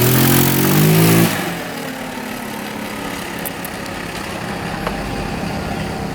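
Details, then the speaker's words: 2017 Tao Tao four-stroke scooter after repair: short crisp rev then settled, even idle with no knocks or misses; sounds healthy. "Wow, listen to that baby. Sounds good. What a dream."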